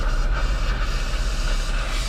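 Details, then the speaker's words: 2006 Chrysler 300 after Blue Devil head gasket sealer treatment and coolant flush: constant hiss over low engine rumble as the cooling system vents pressure; exhaust gases still in the coolant from the head gasket leak, so the sealer failed. "it is safe to say that blue devil does not work blue devil i want my damn money back i followed every instruction to the teeth um and obviously there's still exhaust gases still inside of here"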